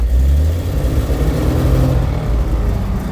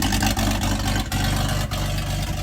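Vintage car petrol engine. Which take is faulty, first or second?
second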